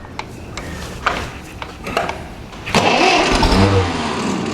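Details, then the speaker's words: Ferguson TEA20 barn-find tractor after major engine rebuild, condenser replaced, temporary fuel can; slow cranking with scattered firing puffs, then it briefly catches and runs ragged, trying to start, with choke. "oh, she wants to go. Bit of choke."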